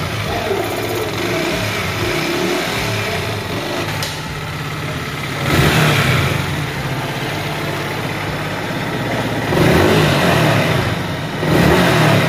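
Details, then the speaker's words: Yamaha R15M after tappet adjustment, injector, fuel pump and air filter cleaning, coolant and sprocket change, for prior engine sound and poor mileage complaints: clean start into smooth, even idle with crisp throttle blips, no misfire; normal start and idle. "Sound খুব সুন্দর হয়েছে"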